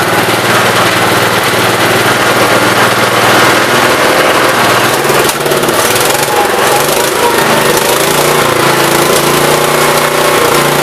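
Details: 1969 Gravely 432 after the carb main jet, out too far, was leaned and the carb cleaned. Steady, even engine note holding speed with no popping or banging, running well.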